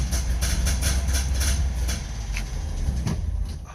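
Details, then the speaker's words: Berkeley two-stroke car sitting a month or two, choke on, fuel pump primed; rapid rhythmic cranking chuffs briefly pick up as if firing then fade: hard starting, engine nearly catches, retried. "Oh, almost. Let's try it again."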